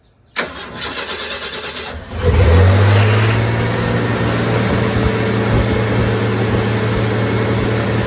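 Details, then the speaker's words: 1990 Ford F-150 4.9L 300 straight-six after installing serviced fuel injectors and refitting the intake plenum: short crank, clean catch and quick flare, then a steady, even idle with no misses; normal start and idle. "So the F-150 ran great. Had more power to it, accelerated very smoothly."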